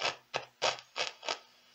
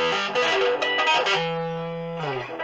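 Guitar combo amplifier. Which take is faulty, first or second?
first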